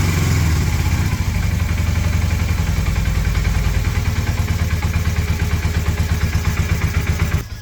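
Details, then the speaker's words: 1981 Honda CM400 twin, first start after sitting since 2000, carbs possibly still refilling: low, uneven firing pulse about three beats a second that stumbles, wavers, then dies; carb tuning suspected needed, not confirmed. Rough running. "Sounds like one's hitting. Alright, give her another snort. See what happens. Might take a little while for them carbs to fill back up."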